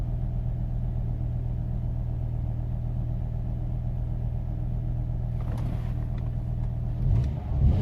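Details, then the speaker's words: 2005 BMW M5 with the S85 engine, misfire being diagnosed with injector cut-off and reduced power, watching cylinder five: a deep, uneven rumble at steady revs with an irregular stumble in the beat. Rough running from a misfire. "I don't know if you can hear the ref our rough the engine is running look at that one it's taking a bit this time"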